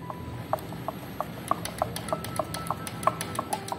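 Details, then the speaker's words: Honda Biz 100 motorcycle engine opened up, with the stopped crankshaft rocked by hand giving sharp metallic clicks about three a second. The owner suspects connecting rod to piston pin play; the clutch and centrifugal filter show no play. "a impressão que eu tenho que o sol está vindo daqui ó então tô achando que é pistão com a biela folga pistão com a biela"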